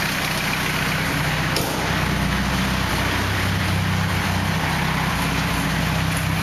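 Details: 240 with engine noise: steady idle with faint, uneven tapping mixed into the low rumble; abnormal idle noise, cause unclear.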